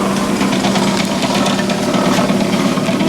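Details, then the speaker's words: 1974 Chevy Camaro rear brake drum being cut on a brake lathe: steady low machine hum under a rough, uneven scraping racket; the drum cut is inconsistent, probably a bowed drum, likely needing a second cut to clean up. "Um I did decide to go ahead and cut the drums. You can hear that thing making a bit of a racket over here. Sounds like I might have to do a second cut."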